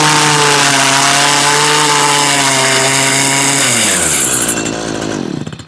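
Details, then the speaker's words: Stihl two-stroke blower/trimmer with a bog complaint: small engine screams at steady speed, then sags and its pitch falls as it bogs, not reaching full RPM; suspected fuel starvation, checks planned from spark arrestor to carburetor, not confirmed. "I don't know if you can pick that up on camera. She's not getting up full RPM."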